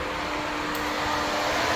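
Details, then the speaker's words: LS-swapped Cutlass, engine off, fan 1 run through the Terminator X Max ECU output test: a steady electric fan hum near 300 Hz with rushing air; the fan works but pushes air the wrong way, so its wiring must be swapped. "So we have to switch the wiring because they are pushing air."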